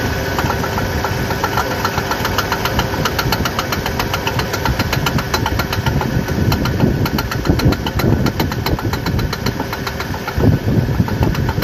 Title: how to bad u joint of drive shaft makes clunking sound